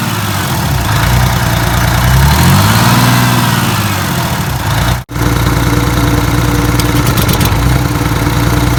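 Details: Detroit 6V92TA two-stroke diesel, test run after adding Jake brakes: deep rumble rises and falls smoothly through a rev, settles to steady idle, no knocks or misses; oil took a minute to reach the jakes; successful test.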